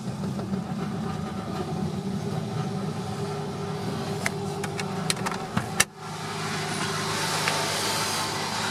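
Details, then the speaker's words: 2001 Nissan Sentra on its first start after installing a new fuel pump assembly, with the tank almost empty. Starter churns several seconds, then a sharp catch and a steady, even idle; fuel supply restored. "all right guys this is my first attempt to start the Nissan subsequent to installing the new fuel pump assembly"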